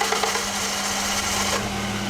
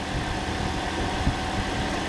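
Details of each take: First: Toyota engine just fitted as a replacement, restarted after a quick switch-off to check a connection: high starter whir for about a second and a half before catching and settling to a steady hum; hard starting, owner suspects faulty temperature sensor or wiring. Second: Toyota with a freshly installed replacement engine, just restarted (already primed) before coolant is added and bled, no engine lights, fan possibly on for the A/C: steady, even low idle with no knocks or rattles; normal idle.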